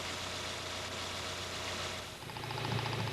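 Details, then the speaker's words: Toyota TCCS fuel injector heard through a sound scope (stethoscope) on the running engine: a quick, steady ticking of about four even clicks a second. A regular rhythmic sound means the injectors are operating normally. "If you can hear a regular rhythmic sound like this, you can tell the injectors are working normally."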